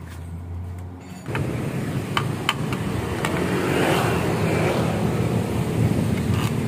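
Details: Honda Scoopy with a CMS exhaust rebuilt and repacked at a shop to change the tinny note to a mellow deep one. After refitting, it starts from quiet and revs smoothly with a deep, mellow exhaust note and no rattles or popping. The exhaust sounds normal.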